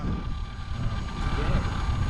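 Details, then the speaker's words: Roban Bell 407 RC helicopter after a re-gear, in flight; steady high motor whine over a low rotor whoosh with no grinding or gear chatter, much quieter than before; normal gear mesh. "I don't hear gear noise in that whatsoever oh my God that's so much quieter"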